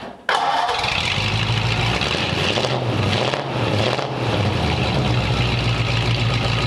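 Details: 1929 Ford Roadster Pickup, formerly straight-piped, after a new full exhaust with small glass-pack mufflers: quick crank and catch, then a steady, even, muffled idle with no misses or ticks, mellow and much quieter than before; normal idle.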